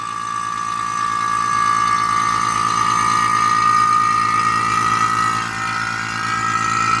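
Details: Vacuum pump on the AC system of a 2004 Cadillac Escalade ESV (6.0 LS): a steady motor drone with a fast pulse near four per second and a high whistle, with steam coming from the pump. It is slow to pull the large system down; a leak is still suspected.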